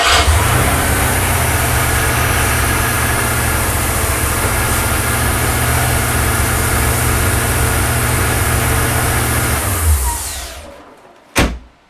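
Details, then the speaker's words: Porsche 928 V8 after engine rebuild, following 18 months non-running; fast slightly raised idle with faint steady hiss over burble, hissing and whizzing at shutdown, owner suspects vacuum leak, high idle. "do a quick start you can see where I'm up to it is ticking over a little bit High I'm not gonna lie to you"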